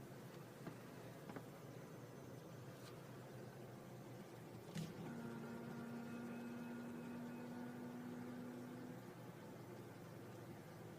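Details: 2002 Honda CR-V at idle inside the cabin: a steady low hum rises, holds a few seconds, then fades. It is absent on cold start, appears after warm-up at about 800-1500 rpm, and goes away when driving. No check engine light.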